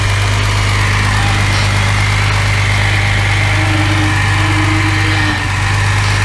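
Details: Mercedes W114 freshened engine, official first start: steady even idle with smooth low hum, no misses or knocks; healthy and settled, no smoke.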